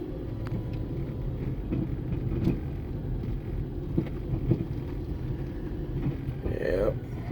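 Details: Car driving over bumps: a few dull clunks over steady road rumble, getting worse over time despite all-new suspension parts (ball joints, tie rods, struts, mounts, end links, bushings). The owner first blamed the sway bar links and now suspects a CV axle.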